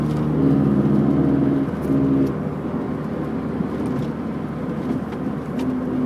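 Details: 1991 MG Maestro 2.0i at about 45 mph: steady low hum or whirr under road noise that holds its pitch. Present for 3 months and getting louder, it rises with speed, deepens turning left and vanishes turning right; humming while driving.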